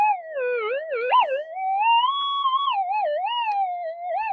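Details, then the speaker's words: Modified, boosted Minelab metal detector at test site, manual tune 220, normal timings deep, before gain turned down to about 3/4, stormy cloud overhead: siren-like whistle sliding in pitch with no target; erratic false signal, owner suspects lightning, unconfirmed. "No, I think it might be picking up lightning. We got a lot of cloud above us, and it spits."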